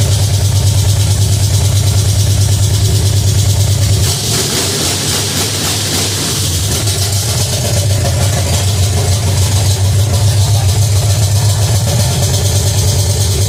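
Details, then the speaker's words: Pontiac 350 V8 in a '50 Pontiac gasser, first fire-up, timing about 8 degrees: fast, steady idle that never settles down; high idle. "That was on a high idle."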